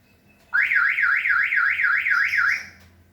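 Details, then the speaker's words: Toyota Innova Reborn alarm, tailgate pushed closed but not latched (no click), then locked with remote: rapid warbling siren, about four swoops a second for two seconds, same as a door left open; tailgate ajar warning. "Oke saya udah posisi di depan pintu bagasi saya akan mencoba merenggangkan dari pintu ini awalnya kita saya buka awalnya saya buka kemudian saya hanya rapatkan aja sampai nggak bunyi klik kan masih langgeng ya masih renggang kemudian akan saya coba eh Hidupkan alarm nya apa yang terjadi"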